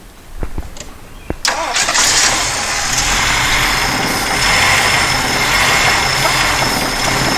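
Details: 1977 Jeep CJ-5 with a fuel pump that appears not to work, fed by a primed siphon hose with a little help since the carb bowls likely held no fuel: a few clicks, a brief crank, then it catches into a rough, hissy idle.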